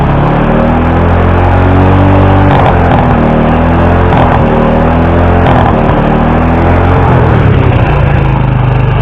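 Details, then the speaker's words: Flooded motorcycle after draining water from the carburetor and opening the fuel tank cap: steady even idle that picks up smoothly under throttle with no stumbling or cutting out; no longer dies, fixed. "Atting pansin po natin hindi na po siya namamatay. Hindi na po nagpapalya kumbaga matining na yung pinakaidling niya."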